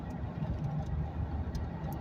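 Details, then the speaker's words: Ford Crown Victoria V8 running smoothly on the road with no stumbles, after a P0316 misfire from water soaking the coil packs during engine cleaning; air was blown around the coil packs and the engine ran 15 minutes and sat overnight, and the misfire fixed itself. "But other than that, the um misfire fixed itself."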